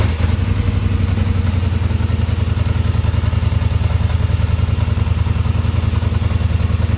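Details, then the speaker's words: 2021 Polaris Sportsman 850 EFI, throttle linkage correctly adjusted, idle contacts closed: steady even low thump about 200 pulses a minute, no misses or knocks, no check engine light; normal idle. "no check engine light everything's good running as it should"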